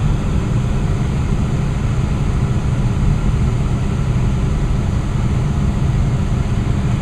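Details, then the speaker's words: Westinghouse two-stage gas furnace with variable-speed blower, burner just shut off and fan running on: even, low rushing airflow with a steady hum, no rattles or scrapes, slowing to low speed; blower running smoothly. "can hear it smooth running all right now the fan is slowing down"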